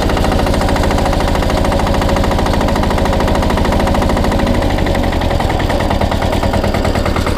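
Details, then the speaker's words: SpeedPro log splitter with a newly installed diesel engine; clutch probably disengages around 1,000 rpm so the flywheels stop at idle. Minimum rack setting is still being learned. Slow, steady diesel chug at a low idle, estimated 600-700 rpm, without misses or knocks; normal low idle. "that's pretty low. I don't know what that is, but it's probably 600 or 700 RPM."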